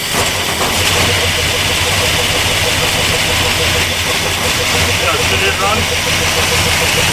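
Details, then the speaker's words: Worn-out 1974 Ford F250 Highboy V8 in cold weather, steady even idle with no misses, knocks or hunting; runs really good; normal idle. "I pick it up fly actually runs really good we'll just fix that there that runs great happy as can be"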